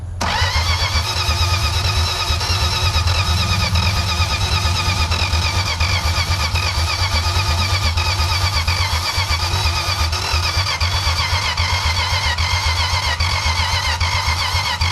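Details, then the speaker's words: 1962 Plymouth Valiant slant six, automatic: long unbroken starter cranking with even pulses over fifteen seconds, no firing; cranks but won't start, owner suspects low vacuum and poorly sealed rings failing to atomize fuel. "so I got some carb cleaning we're gonna we can never get this thing to run and get some heat in it we could probably bring the rings around but not if it won't run"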